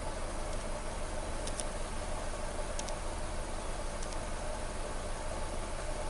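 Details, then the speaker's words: 2014 Nissan Versa 3-cylinder after replacing cylinder 3 coil (P0303 misfire, rough idle; cylinder 2 coil previously changed): smooth, even idle, steady low rhythm, no stumbles or misses, no codes, slight vibration; normal idle. "So I said no codes. Vehicle is idling real good. Slight vibration from this."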